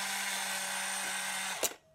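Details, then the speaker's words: Untested eBay Polaroid SX-70 tested with an old 600 cartridge: the motor whirs steadily without stopping, then cuts off abruptly; the mirror never moves, which points to a failed drive coupling. "It's not moving, which means there's a drive coupling gone in here."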